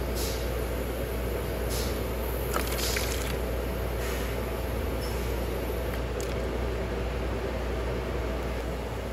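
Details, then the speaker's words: Monitor injector sent in for problems, tested across operating pressure range, checking overflow for vacuum leaks while adjusting capacity: steady deep rushing, even flow, no sputtering or breaking off; injector picks up and runs normally. "checking the overflow to see if i can feel any vacuum being pulled if there's any leaks there and it seems fine and i'm adjusting the capacity and listening for anything weird but so far everything seems okay"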